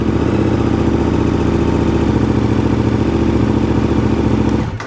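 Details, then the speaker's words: KTM 1290 Super Adventure throwing side stand and SCU failure codes: engine catches and runs steady, slightly uneven idle a few seconds, then cuts; starts and runs fine, but the battery is suspected of being weak and triggering codes. "But um even although a bike starts and it runs fine like this one does, you can still have a problem with your battery which can still throw up codes."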